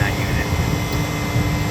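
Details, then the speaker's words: Walk-in cooler condensing unit, enclosed in a composite wall with reported airflow and overheating problems, heard pumping down: deep steady compressor hum with constant mid tone over airflow noise; normal pump-down. "Sounds like it's pumping down right now. Yeah, there you go."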